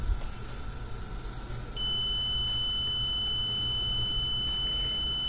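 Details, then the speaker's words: Mastech 830L multimeter in continuity mode testing its replacement 250mA/250V fuse: steady, unbroken high beep, resistance reads zero, fuse is good. "In this fuse wire the continuity or actual resistance value is zero So, it is the well fuse"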